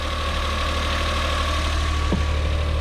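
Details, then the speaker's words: Suzuki Every DA52V kei van, cold, no engine light; steady, smooth, slightly raised idle with no knocks or stumbles; normal cold fast idle. "it's idling high but it's cold so we'll forgive that"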